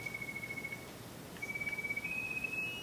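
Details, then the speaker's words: Otofonix Elite hearing aid amplifier with sound tube removed and cupped in hands: clear steady high whistle rising slightly in pitch; feedback shows the amplifier works, so wax is plugging the tube or dome. "You hear the feedback. That means that the amplifier itself is fine."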